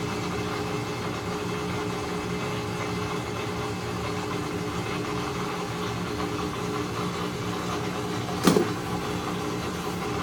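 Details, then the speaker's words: Maytag Centennial washer running its calibration cycle, required after replacing the actuator motor or control board; low steady motor hum with one brief clunk partway through as the drive engages. Normal calibration cycle. "so this takes the washer to the calibration every time you replace a control board or any other part you have to run a calibration cycle on these units"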